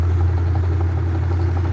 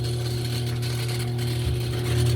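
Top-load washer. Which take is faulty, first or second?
second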